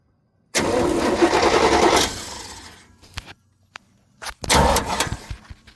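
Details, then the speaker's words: Chevrolet K1500 pickup (1983 per title, called a '93 in talk) cranked with the clutch in, heard from underneath near the starter: a ragged crank with crackle and no start. The loose rear starter terminal is arcing; a starter replacement is planned. "What I have going on is the back terminal on my starter has basically dislodged itself. Uh, it's not making a good connection and it's creating spark on the starter."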